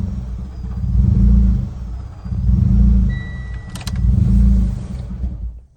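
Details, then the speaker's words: Mitsubishi Ralliart after vent-to-atmosphere crankcase conversion, warm restart: idle swells and sags about every 1.5 seconds, three big surges, then stalls; vacuum leak from the CCV valve on the aluminum valve cover, likely not pressed in fully. "Yeah, that's the problem. So I figured out what it was. It was the CCV valve that you have to press in back here on the aluminum valve cover."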